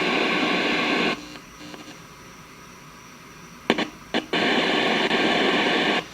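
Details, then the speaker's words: 1971 JCPenney 1758 solid-state stereo traced with a mid-1950s tube signal tracer at full gain: a loud, steady hiss appears at the emitter and collector of transistor 26, cutting in and out as the probe touches. Amplifier channel noise, cause not yet found. "nothing much a little bit there let's go to 26. there we go there's our noise"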